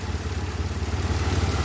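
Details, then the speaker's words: 2006 Pontiac Grand Prix 3.8L V6 after head gasket replacement, first start: steady, even low idle with no misses or rocking, much smoother than before when it rocked and seemed to misfire; normal idle. "Engine sounds good. It's running nice. It's really smooth. It's much smoother than it was before."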